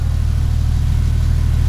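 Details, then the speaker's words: 1953 Pontiac restoration, first run after 7.5 years with the fuel pump tested good and gas poured into the carburetor: deep, steady low rumble with no knocks or misses; normal running. "there's nothing wrong I hope I have missed this sound for so long"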